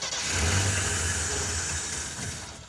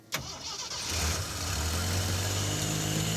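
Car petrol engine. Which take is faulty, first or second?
first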